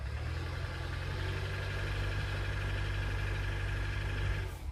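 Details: Nissan engine: a steady idle with a low, uneven thumping about three times per second under it. An engine knock of unknown cause.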